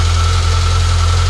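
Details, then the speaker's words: Citroen ZX started after winter storage: steady, even low idle hum with no ticking or tappet noise; idles smoothly and normally. "what a little beast I love this little car it's absolutely fantastic well I'm just going to obviously let it idle I thought that would have been a little bit of taery noise or something like that but no nothing"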